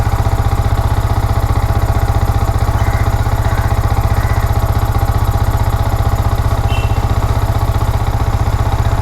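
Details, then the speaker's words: Yamaha R15 V4 after repair of rough misfiring and cutting out at high rpm: crisp, very regular single-cylinder idle, no misfires or rattles; normal idle, though the MIL lamp stays lit and no scanner code shows. "നോക്കാം friends സാറെ കുഴപ്പമൊന്നും കാണിക്കുന്നില്ല. ഓക്കെയാണ്"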